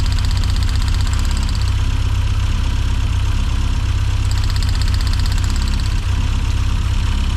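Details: 1990s Mini Cooper S Sport 5 (John Cooper Garages-built), hot engine idling low with an uneven, lumpy beat of about eighty pulses a minute that won't steady. New plugs fitted; ignition seems okay. Owner suspects a fueling issue, unconfirmed.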